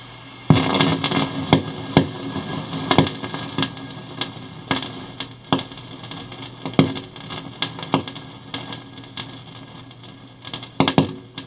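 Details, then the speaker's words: Hammarlund HQ-140-X tube receiver switched from AVC to manual with a signal generator carrier: irregular crackles and pops like sizzling bacon over a low hum, easing when sensitivity is turned down. Crackling noise in receiver audio. "that sounds like sizzling bacon so if I turn the sensitivity down just a little bit you can see it kind of goes away"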